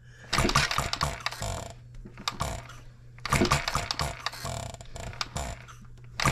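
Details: Engine built 1988, not known when last run, crank just straightened, buzz-coil ignition: uneven bursts of firing with long gaps as it stumbles and barely keeps going. Erratic running; owner suspects junk in the fuel system, which needs cleaning.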